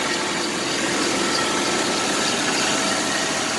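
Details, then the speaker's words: 1990 Chevrolet S10 Blazer 4.3 4x4 automatic, 216,131 miles, first start after about seven years sitting: harsh, raspy idle with hissy chuffing, little low rumble, nasty exhaust output; exhaust leak, needs exhaust system, also vacuum leaks and tune-up due. "oh man look what come on the exhaust yeah that's gross it needs the exhaust system that's for sure"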